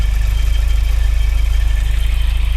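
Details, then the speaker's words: Car at idle just after starting, charging 14.07 V, checked with stethoscope: steady high squeal over a pulsing idle, water pump fairly quiet, very loud at the alternator; suspected worn alternator bearing. "That's good, but you can probably hear the noise, the squeaking noise, and I use my stethoscope."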